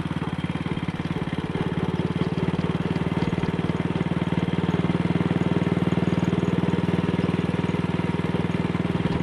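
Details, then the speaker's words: Single-cylinder motorcycle with Wassell Evolution (Amal Concentric Mk 1 type) carburettor, after refitting a twisted, dislodged needle clip that caused rich running and a black plug; short test ride, even thumping at low revs, no misfire, up to about 45–50 mph indicated. "In fact, the engine feels altogether better. Running nicely at low revs. Something that she was not doing yesterday."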